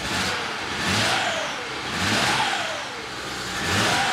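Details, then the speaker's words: BMW 335i wagon, N54 twin-turbo, after cylinder adjustment values were coded: revs rise and fall in repeated blips with turbo whoosh, but the engine is uneven and not firing on all six cylinders; misfire. "well you can hear the turbos but it's still not running on all six"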